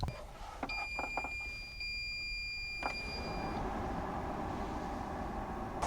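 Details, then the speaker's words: EcoFlow WAVE 3 portable air conditioner after firmware update, cooling mode at 16°C with low airflow, measured about 1 m away; start-up beeps then steady soft fan hum, the high-pitched mechanical noise heard before the update now gone: normal running. "Tiếng ồn cơ học the thé nghe thấy khi tôi thử nghiệm lần đầu không còn xảy ra sau khi cập nhật."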